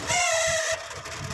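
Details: Microwave oven run with high-voltage transformer disconnected, fan motor noise complaint: a shrill squeal wavers and rises, then fades as the fan slows; worn fan motor bushing.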